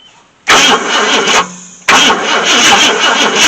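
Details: 1966 Ford Thunderbird with FE 390 V8, not started in 13 years (last registered 2009): two roughly one-second bursts of steady starter cranking with no firing. Crank, no start; ignition points are suspected while spark is being checked, not confirmed.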